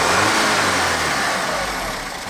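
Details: Audi engine after a timing chain and new camshaft job, revving: a rough, uneven crashing misfire that smooths slightly as revs climb. A cylinder 4 misfire code was read, caused by ring damage and low compression; a full teardown is needed.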